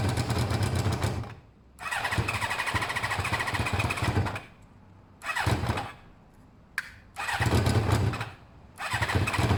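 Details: Motorcycle just rebuilt with its coolant topped up, with pod air filters: short rough bursts that die away between them and never settle to an idle, the engine struggling on too little intake air as the pod is pulled forward.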